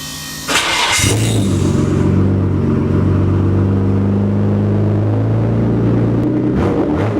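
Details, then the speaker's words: Nissan Skyline GTR R32 with a freshly refitted straight pipe: quick crank, catches and settles into a loud, steady straight-pipe idle with no puffing or hissing; startup check shows no exhaust leak. "I'm sure you guys just want to hear it so it's on that straight pipe you boys on nice and tight I'm gonna give it a quick startup make sure there's no leak"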